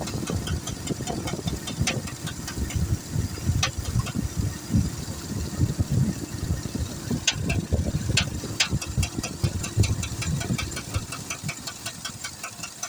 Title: ruido en el motor , Tahoe 2008motor 5.3